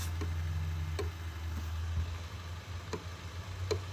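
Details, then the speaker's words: Toyota Mk3 Supra after reconnecting unplugged security-system connectors: sharp single clicks about once a second over a low hum, with no cranking; fuses fine; relay clicking, cause unknown. "yeah these fuses are fine like it's just clicking and I I don't know why but it's constantly consistently cck clicking"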